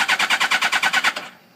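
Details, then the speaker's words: 2006 Suzuki GSX-R1000 after tip-over, in neutral, battery 12.23 V, spark and air present, no FI light or codes: starter churns about nine even strokes per second for just over a second, never catches; cranks but no start. "and that's all I get I'll give it throttle and I got nothing"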